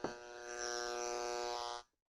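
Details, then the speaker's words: Mains outlet tested directly, with no surge protector, using a noise snipper that turns AC line noise into audible static. A steady buzzy tone with many overtones shows heavy electrical noise on the line, before the Panamax M8-HT Pro filtering test. "you can hear how noisy the ac power is"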